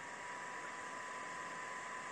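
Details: Creality Ender-3 V2 3D printer, 24 V hotend radiator and motherboard cooling fans on full voltage: steady loud airy whoosh with a thin constant whine, before being quietened by wiring a transistor in.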